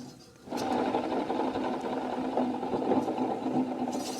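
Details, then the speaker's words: Yard Machines riding mower deck spindle, spun by hand before a bearing replacement, makes a gritty, crunchy rasping whir with a low hum from worn bearings. Both blades were mangled. "definitely crunchy"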